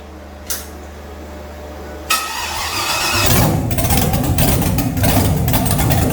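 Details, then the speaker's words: 6.2L LS V8 swapped in after the 406 SBC's Scat crank proved out of balance; first start, open headers, no cooling system fitted. Starter cranks briefly, catches and settles into a loud, even idle with good oil pressure; normal start. "That runs cool. Got pressure too. Nice. Fire right up. Don't sound as good as my 406, that's for sure."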